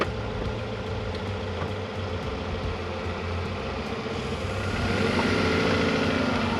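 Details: Toyota RAV4 after clutch, flywheel and rear main seal replacement: smooth idle, then revs rise evenly as it pulls away with no judder, slip whine or grinding; clutch engages cleanly.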